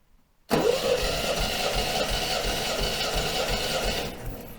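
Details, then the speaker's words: MGB engine compression test after oil, plug and tappet service, all plugs out, battery well charged, 10 cranks: even, steady churning with no drag; cylinder one reads 135 psi, healthy. "all right 135 that is not bad at all 135 psi great okay so we're off to a good start"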